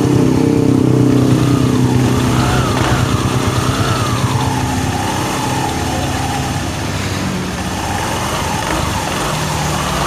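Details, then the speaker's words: Honda Vario 110 FI single-cylinder after repair for a wobbling crankshaft (worn left bearing housing rebushed, crankshaft trued on a lathe): a steady, even idle beat with no knocks or rattles; smooth and back to normal. "so the sound was smooth again. Bro, it's back to normal."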